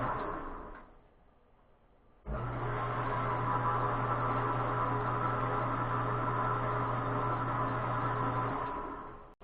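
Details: Rong RF30 column mill after re-greasing the quill spindle bearings: a quiet start, then the spindle spins up to a steady, smooth hum with no grinding; the bearings sound healthy.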